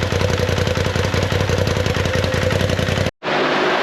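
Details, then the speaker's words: 2019 Polaris XP Turbo, about 5,500 miles, after engine rebuild for failed crank bearing: fast, lumpy, shaky idle with uneven pulses and clatter, rough running with heavy vibration. "It seemed to be running all right. It had a little rough idle. It was kind of a lot of vibration going on."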